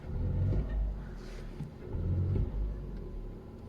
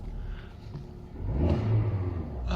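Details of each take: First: Audi A2 petrol with LPG conversion, cold start: rough, unstable idle that shakes, misfires and drops rpm when throttled, worse after standing longer; caused by a dead cell in the 12 V battery giving low voltage. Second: Audi A2 petrol with LPG conversion, engine fully cold after standing a day: idles low, then revs up cleanly and evenly with no stumble or miss.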